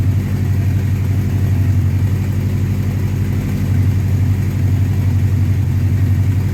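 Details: 1984 Honda CB700SC Nighthawk four-cylinder after carb cleaning, idle raised, warming up: steady even thrum about 1400 rpm, no misses or knocks; normal fast idle, slightly high.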